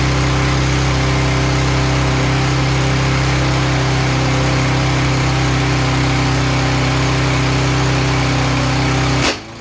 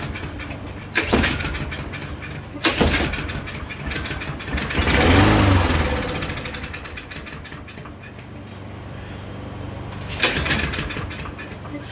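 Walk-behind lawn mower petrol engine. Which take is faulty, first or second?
second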